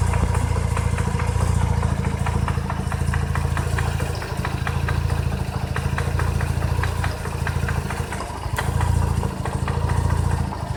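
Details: Mazda RX-8 rotary idling with a steady loose knocking, three to four a second, through the low drone; owner says it starts fine and drives great, knocking louder when given gas.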